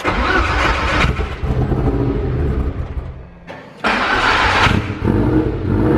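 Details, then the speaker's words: First start of fresh 2.0 20v turbo stroker in VW T4 Transporter with 02M 6-speed, loud exhaust: catches quickly, couple of light blips to build cylinder pressure and bed rings, checking for leaks, then idles cleanly with no knocks or rattles; normal. "So yeah, this moment here, we're just going to start it up for about 15-20 seconds. Just make sure there are no leaks. Give it a bit of cylinder pressure with a couple of revs."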